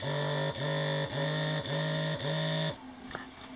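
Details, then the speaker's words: GroovyPets GP330 three-dog trainer collar, vibration button held: five even buzzing pulses about half a second apart, a steady hum each, then stop. Normal vibration mode; holding longer gives a stronger vibration. "if you push it once it vibrates if you push and hold it it will do it six times if you keep holding it it will do it a stronger vibration"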